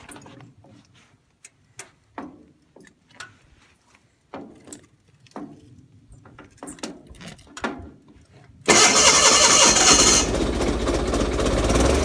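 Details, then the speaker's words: Gravely 817 with Onan CCKA engine after fitting a new-style starter, choke on, shroud off: even cranking about four pulses a second, then it catches and runs steadily; no gear clash, the starter gear retracts well clear of the flywheel. "Yeah, we should be good. I didn't hear it hit once, and I could see while it was running that the gear was retracted very far away from the flywheel, so I think we're in good shape."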